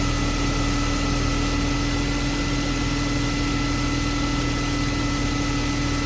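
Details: BMW E36 M3 after refitting and tightening a loose spark plug that caused a ticking/thumping noise: even, steady idle with smooth hum, no tapping; loose spark plug confirmed as the fix.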